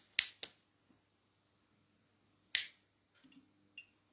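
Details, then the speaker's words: MAZDA FEE100 25W compact fluorescent, ferromagnetic ballast, 230V E27, over 40 years old: crisp high-pitched starter "bing" as tube strikes, then faint steady ferromagnetic ballast hum; works perfectly. "Oh, mais elle aussi, hein, l'électrode, enfin le starter qui fait un bruit bien aigu, hein, un bing, assez mignon, donc voilà."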